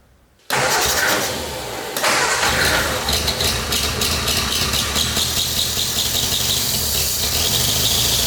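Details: 1970s hot-rod canoe built on 1953 Ford Anglia, 47 years unused, after carb clean/rebuild and new gasket: catches after short crank, steady busy run, no knock or stumble; won't idle, exhaust suspected plugged; normal running.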